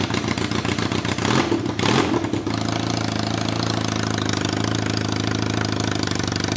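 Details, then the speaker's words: 1983 Kawasaki KZ440 cafe racer project, before exhaust modification and hot dog muffler fitting; after a few cranking bursts catches and idles with loud, harsh, uneven exhaust; running extremely rough, cause unknown. "God is it loud this bike is running extremely rough at the moment but we definitely need to address that exhaust system because that sounds absolutely woeful"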